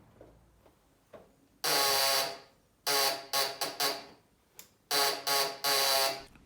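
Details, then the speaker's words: Yamaha Raptor 660 quad after a new relay box was fitted and the battery recharged: each press of the start button gives a harsh electric buzz with no cranking; the starter relay is chattering. "le quad veut vraiment rien savoir."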